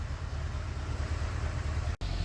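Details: 1988 Corvette (owner unsure, maybe 1989), fuel-injected, sat over winter, first start after hotwiring: low, lumpy, stumbling idle, misfiring, running rich; cause not pinned down, ignition timing next to be set with a timing light.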